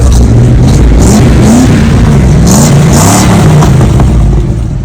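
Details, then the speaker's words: 1980 Dodge B200 camper van V8 after exhaust work, carb adjusted and idle raised because it stalled at stops: deep, throaty rise and fall under throttle blips, no misses or popping; normal revving. "I adjusted the carb a little bit and idled it up because it was shutting off every time you were at a stop sign. So let me give it some gas."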